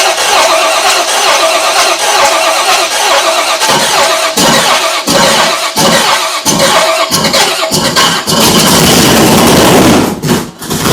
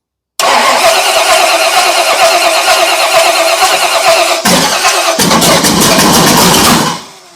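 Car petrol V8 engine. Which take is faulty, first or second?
second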